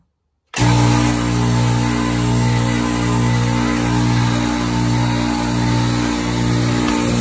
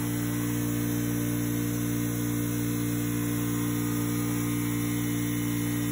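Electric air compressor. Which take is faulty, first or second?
first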